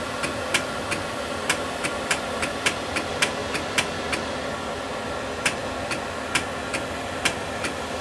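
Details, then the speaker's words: Tube amplifier with three new 800 tubes, plate and filament on, standby off: crisp relay clicks in quick bursts about two a second over steady blower hiss; relays switching normally. "so we can see that's clicking that's clicking and we can hear the all the relays clicking"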